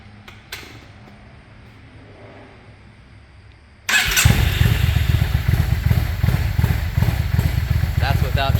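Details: Yamaha 650 V-Star with KJS single carburetor replacement, choke fixed and idle knob adjusted: quiet start, then engine catches and settles into steady, even thumping idle without choke, no misses or stumbles; running healthy.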